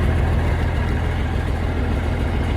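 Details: 1971 M35A2 turbo deuce-and-a-half diesel idling after the fuel pickup tube replacement, 24-volt inline fuel pump and new air filters: deep, steady, even low rumble, no knocks or stumbles. Idling well.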